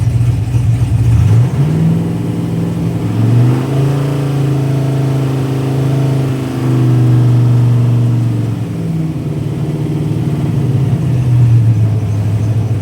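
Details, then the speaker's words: GTO during tuning, warm engine, easing revs down from about 1500 rpm: revs climb and drop, then idle surges up and down as idle compensation takes over and the engine dies; now restarts warm but still dies after revving. "the the idle compensation starts trying to take over and it starts to fluctuate up and down in RPM and then uh once I back off the gas and it just goes ahead and dies."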